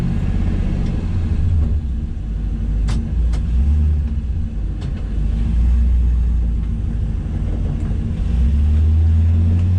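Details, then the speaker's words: 1966 Chevy El Camino with LS V8 swap, cold first start: idle rumbles then climbs and hangs high for seconds; the idle air control valve is blamed, which made it take off and shift into second; needs replacing. "See that idling up like that? That's the idle air control valve. It like hangs. It's kind of dangerous."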